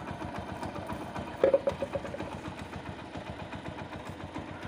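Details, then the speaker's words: Single-cylinder engine after timing chain noise repair (push rod problem), restarted: quiet, steady putter at idle with even beats, no knock or chain rattle; normal healthy idle. "चलिए गाड़ी start करता हूं कितना अच्छा sound बना रहे हो दोस्तों मस्त गाड़ी हमारी परफेक्ट तैयार हो चुकी दोस्तों"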